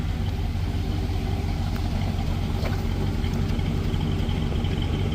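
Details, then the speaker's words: 1965 Pontiac Lemans V8, restored over 20 years; a deep steady idle burble with an even pulse of about three beats a second, healthy. "you go. Yum yum. Blah blah blah blah blah blah."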